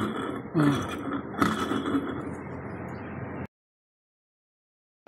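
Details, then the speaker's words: Carrier remote-control window-type air conditioner that would not run, fan motor removed: rough gritty rumble, faint whine and uneven knocks from rusted, broken bearings; both bearings to be replaced. "Sama ng tunog niya. Ayan oh. Parang basag yung mechanical niya."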